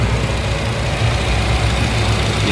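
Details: Nissan Grand Livina 2012/13 manual petrol, first owner, 115,037 km, engine idling: quiet, very smooth steady low hum with almost no sound, no knocks, ticks or misses; normal idle.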